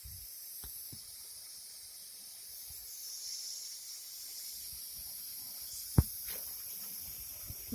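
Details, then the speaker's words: Daihatsu Hijet overheating from an air lock after the cooling system was drained: compressor pressurises the cap, steady high hiss with faint gurgling and a click as trapped air is forced out and a rubber bung fitted. "I can hear that gurgling. So what I've done now, while I was pressurising the cap here and the water was coming out of here, while it was coming out, I've put the rubber bung on, stopping the air going in there."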